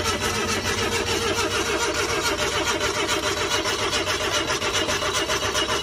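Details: Suzuki DA64V van after flooding: steady, labored cranking at about two beats a second that never fires; crank-no-start because water is sitting in the cylinders on the pistons.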